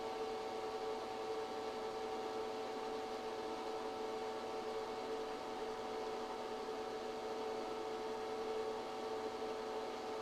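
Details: ChocoVision Revolation 2 chocolate tempering machine running the temper two cycle with dark chocolate (88.7° set point): quiet, even motor hum with a soft, steady whir and no knocks; normal running.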